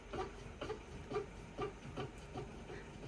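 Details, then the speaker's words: 2012 Mercedes W221 S-Class front lower rear control arm, freed and worked by hand: short squeaky creaks about twice a second like an old door, from a very loose worn bush or ball joint. "that's the kind of screeching noise that when when he's got weight on it sounds like an old door right"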